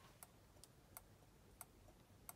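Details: 1962 Land Rover Series 2A 109 diesel, Bussman 550 turn signal relay bench-wired to a test battery with Tex-Magna switch: sharp even clicks about every two-thirds of a second, slight delay as relay warms; normal flasher operation.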